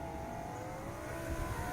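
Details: A Nissan Pathfinder power window motor whirs steadily with a gently rising pitch, running smoothly and faster after 303 Protectant was applied to the dry rubber window seals.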